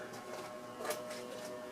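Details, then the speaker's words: Antique Diehl ceiling fan, about 1920s, a 40-cycle motor, with bent blades, on medium speed: quiet steady electrical buzz with a low-toned whine on top; motor hums loudly and seems underpowered, cause unclear. "and this thing hums insanely L yeah Mak a lot of noise I'm going go to medium already"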